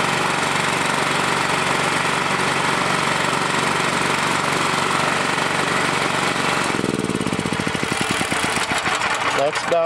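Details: Honda GX390 generator engine, used for welding and unused for quite a while, after fitting a new tri-fuel carburetor and adjusting idle screw: on gasoline runs steady at fairly high even speed, then settles to smoother idle; normal running.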